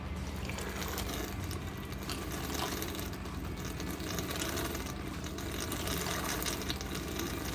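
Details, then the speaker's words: Cummins 8.3L engine on a 165kVA generator, overheating after a coolant change; bleed screw opened with the engine running, gurgling, sputtering hiss as trapped air spits out until coolant flows steadily. "All the air coming out. Keep doing it until we get water."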